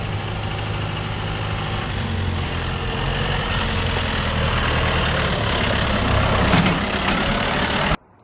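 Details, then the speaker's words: John Deere 2450 tractor, about 40 years of farm work: heavy diesel idle under load, then one sharp horrendous clunk when letting off the brake while reversing; problem with the front differential. "If you go into reverse and then brake while reversing, if you let off the brake, it clunks horrendously. As I shall now demonstrate. That didn't sound good."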